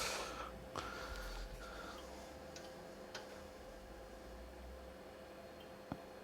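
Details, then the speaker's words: Racal-Dana 1999 frequency counter with an intermittent freeze: isolated relay clicks over a faint electronic tone as the locked-up unit resets when the circuit board is pressed. "now that's locked up I I can hear the relay clicking as I um as I press the board it definitely seems to reset just by touching the board"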